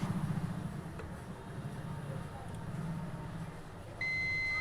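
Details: Continuity beep on an outdoor AC PFC gate-drive board (Godrej/Voltas/Whirlpool) while tracing the track from the 5.1K resistor at the NPN transistor's collector to the PNP transistor's base: after handling noise, a clean, steady high beep confirms continuity.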